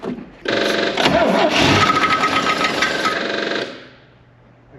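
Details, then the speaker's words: 1967 Land Rover 109 Series 2A NADA, sitting 15 years, run on starting fluid with a modified starter: engine catches and runs rough about three seconds with a quick uneven clatter, then dies; the fan is hitting the radiator. "yeah it's the radiator that's the knife that's that or the fan but it's yeah it changed"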